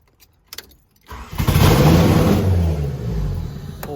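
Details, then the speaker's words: Crashed Honda Prelude returning after long layoff, previously wouldn't start for unknown reason; a few clicks, brief crank, catches quickly and settles into steady idle: normal engine start. "Holy crap, it starts. Holy crap, okay. Good to know. I don't know what I did, but now it wants to start."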